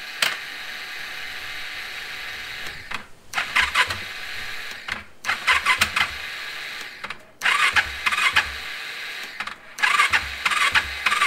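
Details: KTM 690 rebuilt to 732 (2019 cylinder and piston, 2012 crank), after throttle body fix: repeated high starter whir with clacking, engine never turns over; starter spinning free, freewheel or torque limiter suspected failed, unconfirmed.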